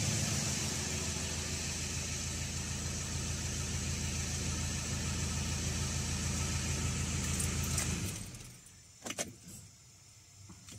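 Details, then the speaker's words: 1.9/2.0 TDI diesel after injector O-ring replacement and reinstallation, restarted several times: catches quickly and settles into a steady even clatter for about eight seconds before shutting off; starts well, no faults. "and as you can see the car is starting up very good so everything is fine everything is perfectly and everything is working as it should work"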